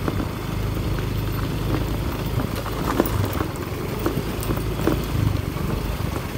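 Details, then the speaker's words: Yamaha Mio i125 scooter after DIY fix of body part hitting the steel frame (rattled on rough roads, vibrated when run): steady low engine drone, only light taps, no repeated body knocking; noise gone. "Nawala yung ingay niya mga megs. Effective. Kasi dati kapag pinapanda natin kasi nagva-vibrate siya."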